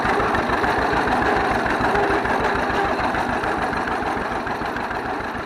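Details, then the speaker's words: 1931 John Deere GP tractor running again after carburetor repair: even, steady beat around 200 a minute, no knocks or misses; runs well, smokes a little. "oh it sounds good she runs good smokes a little bit but uh i'd smoke it if i was that old"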